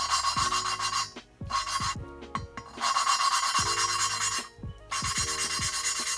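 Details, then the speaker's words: Honda B17A1 VTEC head, hand lapping Ferrea valve with compound: dry gritty strokes start crusty then smooth out quickly, showing the valve seat is almost fully lapped. "It's sounding pretty smooth from the gate. Sounds a little crusty and then it starts to get smooth pretty quickly. That's how you know you're almost done."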